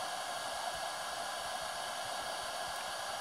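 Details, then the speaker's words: HTRC smart battery charger charging LiFePO4 at 12V, 20A setting, amps climbing to about 16A around 250W: loud steady rushing fan ramping up with load, no pulsing or rattle; normal cooling fan at full load. "you're going to hear the fan ramp up pretty soon it's putting in there's the amps going up and the charging hear the fan getting louder as the amps are going up"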